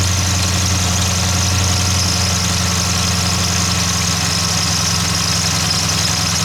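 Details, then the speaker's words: 2015–2020 Dodge Charger/Challenger 392 Hemi at 60k miles, idling: steady high hiss-like squeal with uneven rumble from a failing water pump bearing. "i mean you can hear that it's not supposed to sound like that"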